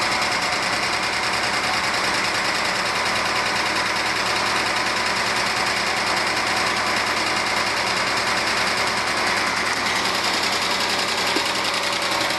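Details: 1997 Argentine Renault Clio engine at idle: fast, even metallic tapping of two to three knocks a second over a hissy idle. Valves were adjusted but the noise remains; one mechanic suspects piston slap, others suggested a clogged oil breather or low oil flow.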